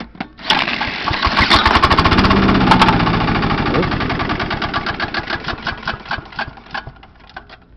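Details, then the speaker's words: 1996 John Deere JX85 mower after storage, cranked with a cordless drill and socket on the recoil: fires, revs briefly, then slows and sputters out within seconds; later traced to rust-corroded carburetor, fixed by replacing it; starts then dies. "move the recoil directed take your socket adapter socket and your corded a cordless drill is shown there and then you tick the drill and you crank it up so here we go well that worked yeah for a second take two"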